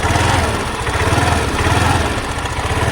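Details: Hero Maestro scooter idling with a fast, uneven chattering rattle over the engine beat; mechanic suspects a loose timing chain, to be replaced.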